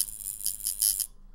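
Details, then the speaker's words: Tattoo machine running normally in the skin while packing colour or shading at a 45-degree angle: high fast even buzz that bogs down under skin load, as it should, then cuts off. "make sure that you hear that sound when you're in the skin make sure you hear that bogging down like this when you're in the skin"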